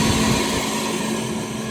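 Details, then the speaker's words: Deli oven exhaust fan after sheave alignment, belt run slightly loose: steady even whoosh of air with smooth motor hum, no knocks or squeal; running normally. "So we're gonna go ahead and turn it on here. It's up and running."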